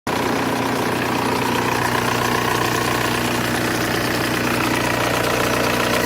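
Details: Volkswagen Golf 1.9 TDI diesel at idle: faint uneven rattle and whirr over the diesel clatter, caused by too much play in the power steering pump shaft.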